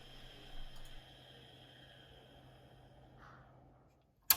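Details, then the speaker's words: Quantum ProDrive ELS 170MB IDE hard drive: faint steady spin hum with no seek/initialization chatter, spinning down to silence before a sharp click while computer still runs; stuck actuator arm. "so you don't hear that typical hard drive initialization sound and after a while the drive just spins down even though the computer is still running"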